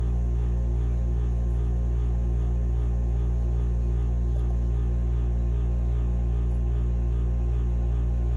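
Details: Furnace running with a steady low drone and an even pulse underneath, no rise or fall; humming/grinding, capacitor tests OK, cause not yet found.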